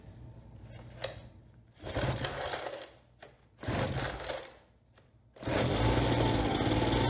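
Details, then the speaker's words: Ryobi BP42 two-stroke backpack leaf blower, about 4 years old and stored outside, first start after repair for no spark, a broken recoil and a leaking carb: two short bursts, then a steady buzz; carburetor completely out of adjustment. "okay not bad sounds good like I said the carb is completely out of adjustment but that's to be expected"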